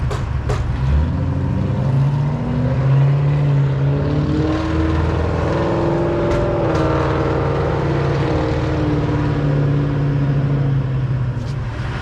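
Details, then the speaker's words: GTO with stall converter on its first maiden run: deep, even V8 rumble with steady low pulses, pitch rising and falling smoothly as it pulls away; normal healthy running. "Whew. Yeah, she sounds good so far."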